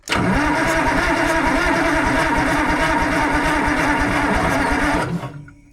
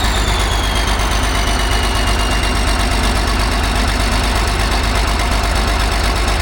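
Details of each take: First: Fiat-Allis 645B loader diesel, injection pump in shutdown position: steady cranking at about three compression beats a second for five seconds, never catches, no fuel reaching injectors, diaphragm lift pump suspected; crank no start. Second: Rusty Fiat-Allis (Allis-Chalmers) 645B loader's diesel fired up after sitting: steady, even low thrum at idle with regular firing pulses and no missed beats. All cylinders firing, healthy idle.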